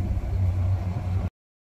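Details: Port Mercury 225 V6 outboard on a Saxdor 320, not charging batteries, started after jumper box charging: steady, even low idle with no misses, knocks or hunting; sounds healthy.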